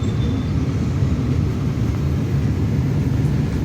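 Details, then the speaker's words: Maruti Suzuki Alto 800 AC blower running after dashboard refit and AC repair, air reaching windshield and footwell; steady even low rumble with no rattle, flutter or scraping, blower running smoothly. "अब देखिए, यह ठीक से चल भी रहा है।"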